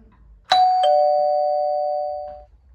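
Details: Doorbell after plumber rewired it: single clean two-note ding-dong fading evenly over about two seconds; chime working properly.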